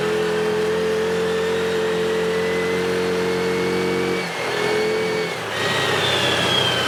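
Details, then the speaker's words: 2017 Odes side-by-side in low gear at about 13 mph, steady light throttle: engine note drops out twice and picks back up, cutting in and out; not under full throttle. "You hear that kicking off and on like that really bad? Surging really bad?"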